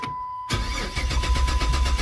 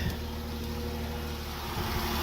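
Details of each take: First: Silver Dodge Charger that quit in the road, towed in, full tank: chime, then starter spins engine steadily but it never fires; no fuel delivery, suspected failed fuel pump. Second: Silver Dodge Charger that quit, started after spraying flammable fluid to simulate fuel presence: catches and settles into steady idle rising slightly, no misses; confirms lack of fuel pressure.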